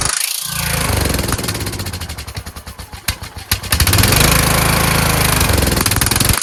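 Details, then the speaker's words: Kohler Courage engine on a tractor, after a cylinder head swap, carburetor replacement and valve lash adjustment, started on choke; uneven surging beat, speed sagging and recovering. Owner suspects the throttle bracket: the return spring made it want to stop, and it ran well held without it. "I put a spring here to have it return, but it was causing it to want to stop. Then I took the spring off, and then if you kept it right there, it worked really well. So I think it has something to do with this throttle bracket."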